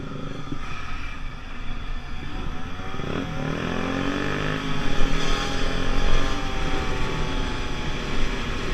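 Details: 50cc two-stroke Pulse Force scooter under load on a road test after a fuel-starvation fix, 14-stone rider: pulls up through the revs without bogging or stumbling, only wind and road noise alongside; normal running.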